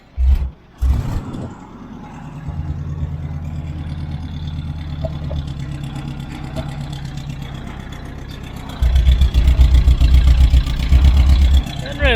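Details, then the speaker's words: 1968 Ford F-100, likely 360 V8, revived after 20+ years in a junkyard, after driving; uneven, lumpy revving with a soggy stumbling note, carburetor slobbering, smelling rich and flooding itself out. "I think we're still fighting some carburetor issues it seems like it's kind of slobbering and flooding itself out here"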